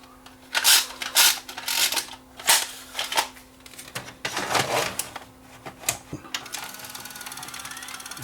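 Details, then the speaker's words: Panasonic PV-4361 VCR with the picture shaking back and forth, a grinding noise and a tape being eaten: irregular sharp clicks and snaps over a low hum point to a mechanical fault in the tape transport. "Hear the noise? Sounds like a clicking sound."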